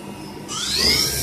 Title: QP 2440L Spindle Running Abnormal Sound